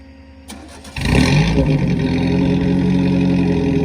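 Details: Newly picked-up 4-cylinder race car: the engine catches and revs with a choppy, uneven beat and irregular stumbles through the exhaust; it is skipping and backfiring, cause not yet found. Misfire.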